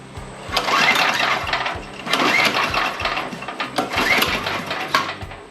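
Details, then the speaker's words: Craftsman dual tine tiller with LCT 9 ft-lb engine, spark plug out, kill switch unhooked: three recoil pulls whir it over with no firing; no ignition, later traced to mouse-chewed wires at the coil. "still got nothing okay so obviously we have no ignition"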